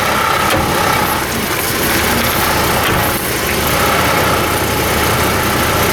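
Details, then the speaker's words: 1998 Chevy S-10 (also described as a 2003) in four-high making a loud, harsh grinding and rumbling over the engine on a tight turn; complaint of no or intermittent 4WD, and the driveline fault's cause is not yet found. "Well, well, there's a problem. We're getting some serious noise here. We better stop that."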